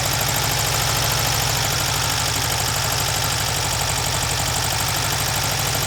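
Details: Freshly rebuilt VW Type 1 air-cooled flat-four from a Karmann Ghia, first start after hooking up the coil and priming fuel by cranking, not yet broken in; quick, even putter at steady idle with no misses or stumbles; normal idle.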